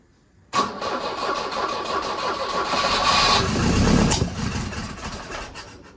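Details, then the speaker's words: 1983 Volvo 242 B23, manual, carburettor setup: hard start, catching roughly with uneven chuffing and a sharp backfire pop; fuel is coming out of the carb throat, so the owner doubts a lean backfire and suspects ignition timing; the distributor is then loosened to adjust it. "And it could just be, I have a hard time believing it's lean backfiring when it's got fuel coming out of the throat."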